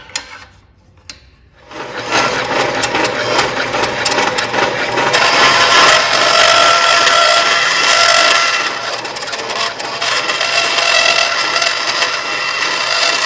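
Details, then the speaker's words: Bandsaw cutting sheet metal flat on the table without a riser, tightest radius possible: harsh rasping cut roughening and labouring midway through the curve as the blade starts binding. "Tight as I can cut it right there without that's the tightest radius I can do. You can hear the blade. It was starting to bind up a little bit."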